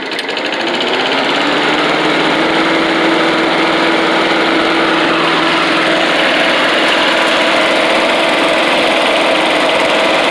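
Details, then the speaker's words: Old Rover Turbothrust lawn mower, started on choke after cleaning a carburettor gunked by excess fuel stabilizer: loud steady roar with even whirring pitch that settles after start-up, no misses or surging. "yeah it sounds like a giant back sends odd very loud"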